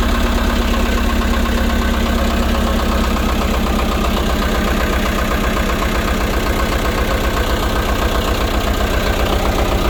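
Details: Mercruiser Isuzu diesel repowering a Sea Ray 240 (gas V8 to diesel refit), first test start with outdrive fitted, oil full, fuel primed and water on; a steady, even diesel clatter at about four beats a second, idling cleanly without stumbling.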